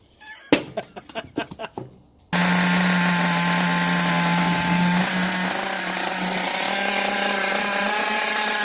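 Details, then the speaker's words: Traxxas T-Maxx 2.5 nitro RC engine, started with a starter powered by a 2S LiPo pack and some throttle: handling clicks, then a high, steady buzz easing slightly lower and running cleanly; normal running. "You heard it run. Oh, holy crap, it actually runs."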